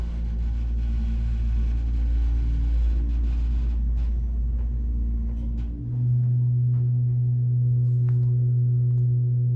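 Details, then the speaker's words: Burlington/Epco CircleLine hydraulic elevator serving LL, ML and UL floors, riding up: loud rough low droning rumble shifting to a steady deeper hum, worse than it used to sound; abnormal, unhealthy running noise. "It's not sound right at all. Wow. It does not sound like it used to."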